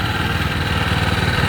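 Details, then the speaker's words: Mitsubishi MMR68 6.3 hp gasoline walk-behind rotary tiller, small single-cylinder engine idling steady and even with no misses after starting easily on a single pull; normal healthy idle. "ก็คือตกง่ายนะครับเป็นลักษณะดึงเรียกว่าดึงแบบกระตูกง้วนเดียวเลยนะครับก็ติดขึ้นมาเลยนะครับ"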